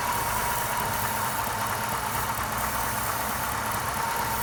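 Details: 1997 Lincoln Mark VIII with the Ford 4.6L DOHC V8 at idle: a thin steady whistle over an even idle, and idle drops when the leak is found; intake vacuum leak.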